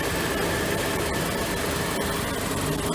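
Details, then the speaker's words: Atwood Hydro Flame 7916 II RV furnace blower motor after its dry shaft bushing was lubricated: steady, even whir with a faint hum and no squeal. The igniter kicks in; the motor is now silent and not straining. "as you can tell, you can hear the igniter kicking in, and it is absolutely silent. It doesn't cause any additional draw from the motor trying to start,"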